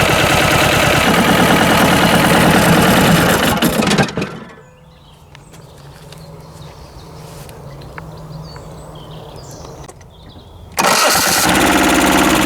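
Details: Westwood lawn tractor's Ruggerini twin-cylinder air-cooled vertical-shaft diesel, previously hydrolocked, running after repair with new starter: loud, even clatter with no misses, dropping away a few seconds then returning strong; normal running.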